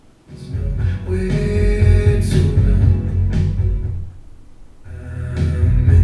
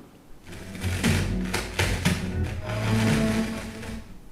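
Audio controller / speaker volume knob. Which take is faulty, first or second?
second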